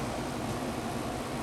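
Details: Amana 1200 W room air conditioner (10.5 A) running after replacing an open tactile switch button: a steady air rush and smooth fan hum, no rattles or cycling, blowing really cold.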